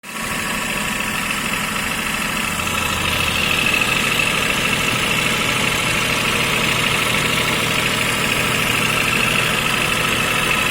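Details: 2005 Toyota Vitz KSP90, 0.9-litre three-cylinder with CVT, idling: thin, hissy whirr and faint uneven ticking over the engine; an unexplained extra noise, cause unknown.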